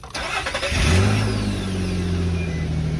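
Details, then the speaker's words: Nissan after DIY exhaust leak fix with bandage and tape: starter whirs briefly, engine catches with a rev and settles to a smooth, quiet idle with no exhaust puffing or ticking; leak sealed. "we are mechanic so now the car is quiet we're ready for our camping trip"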